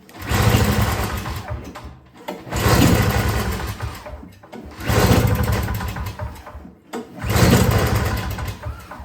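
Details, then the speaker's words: Yard Machines 21-inch single-stage two-stroke snowblower (50:1 fuel, fresh gas, choked and primed, priming weak): four recoil pulls, each a quick chuffing spin that dies, never catches; cranks but won't start, cause unconfirmed before trying starting fluid. "It's trying to start. All right, let's spray a little starting fluid in it and see if that will get it to fire."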